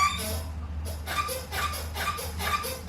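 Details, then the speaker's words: Nissan R33 Skyline drift car, clutch pedal worked by hand: short sharp squeak with each stroke, about twice a second, before lubricating; clutch linkage squeak. "So first of all, we'll do a little bit of clutch ASMR. Oh, that's really squeaky."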